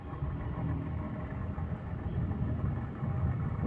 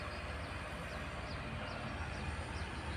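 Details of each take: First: Indoor air conditioner unit running: low, rough rumble churning unevenly under the airflow instead of a smooth hum, apparently from the fan motor; loose fan motor bearing. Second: Indoor AC unit after its noisy original fan motor was replaced with a used one: steady even whoosh of air with a light periodic chirp, no rubbing or rattle; fan running smoothly.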